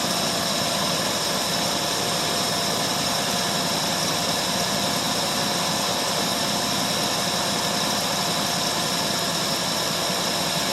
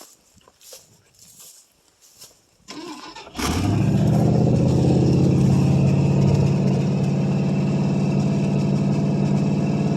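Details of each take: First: 1968 Ford LTD 390 FE two-barrel V8, about three years unstarted, running on a little gas poured in carburetor bowl: steady even idle hum, no lope or misfire, runs quite a while. Normal idle; a pretty good runner. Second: 1968 Ford LTD 390 FE two-barrel V8, off the road since 1999 and about three years unstarted, fuel poured into carburetor bowl, mouse nest in exhaust: couple seconds cranking, then catches abruptly into steady even fast idle. Cold start after long storage.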